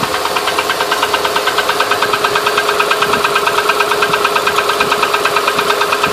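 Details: 2008 Honda Ridgeline at idle: sharp, even tick about three times a second over a steady idle; valvetrain-type ticking, source unknown.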